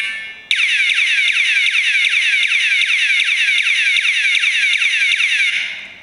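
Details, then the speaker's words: BULLY motorcycle pager alarm lock triggered by movement: a loud, high warbling siren sweeping two to three times a second for about five seconds, then fading. The motion alarm works correctly. "Takes a bit to reset. Now, if I move it again, it will go off also."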